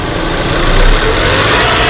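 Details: 2018 Range Rover Evoque petrol at idle runs uneven and lumpy with a brief surge, a misfire caused by air leaking at the PCV valve on the top cover; the PCV valve is to be replaced.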